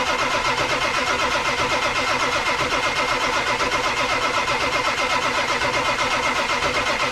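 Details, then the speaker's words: 1999 Ford F-250 Super Duty 7.3L Powerstroke diesel, 4WD, abandoned over six years, cold start attempt: steady cranking about two beats a second with occasional pops and a cadence change as cylinders try to fire, never catches; cranks but won't start. "I heard the the definite change in Cadence at least it's hitting all the cylinders off compression it sounds like the mirror Motors working but it's not moving"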